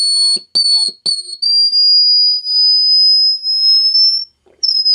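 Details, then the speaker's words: Standard Business Machines Magnescriber Deluxe model 160 wire recorder, most capacitors replaced: a piercing steady whistle slowly rises in pitch, cuts out and returns when turned up high through its own speaker but not through headphones; cause unconfirmed. "when you run it through a headphone it it doesn't do that but when you don't want it through its speaker for some reason it does"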